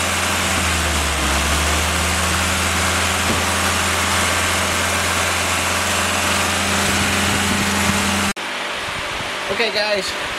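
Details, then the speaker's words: Willys F-134 F-head fresh rebuild on engine stand during break-in; loud steady even drone at constant pace until cut off; normal engine running. "but uh it ran perfect it broke in properly uh perfect oil pressure and temperature"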